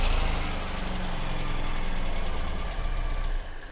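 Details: 1985 Ford Fiesta that refused to start after sitting for months, now fixed and starting on the button: a low, smooth, even idle with no knocks or misses. Normal idle.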